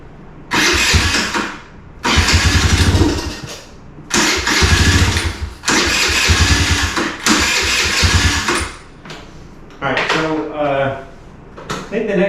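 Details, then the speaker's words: 2017 Kawasaki KFX50 kids' quad, sat unused for years: repeated cranking bursts, engine catches briefly on prime then dies, never idles; suspected carburetor out of adjustment, later found no fuel from petcock on reserve. "all right it seems to still only be running on prime or the carburetor is out of adjustment to the point that it won't"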